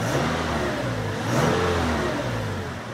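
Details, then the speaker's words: Simulated 2013 Toyota Tacoma (Assetto Corsa mod) after an oil change, warming up at about 880 rpm idle (about 750 when warm): brief throttle blip settling back smoothly without hunting; normal throttle response and return to idle. "the throttle response is good and the return to idle speed is good no unexpected errors on the caution and warning no oil pressure alarm that's what we want"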